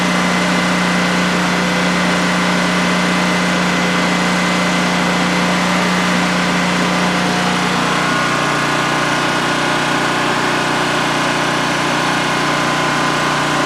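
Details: New DuroMax XP15000HX generator in a shed, second start-up on propane with the exhaust fan off: a steady, even drone at constant speed that settles slightly partway through, with no faults, over a 5-minute test run. Normal idle, no issues.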